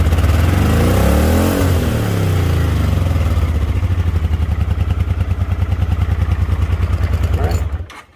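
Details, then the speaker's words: 1980 Honda CX500 Deluxe, last registered 1998, cold start in neutral: the engine blips up with a clean rise and fall, then settles into an even, steady low thump with no knocks; it sounds healthy. "there we go so it does run there's some proof and it sounds good"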